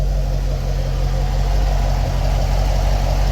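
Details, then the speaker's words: 2015 Chevrolet Corvette C7 Stingray V8 after broken rocker arm repair, before oil change: steady even idle rumble, no ticking or knocking; normal idle. "engine sounding nice and smooth"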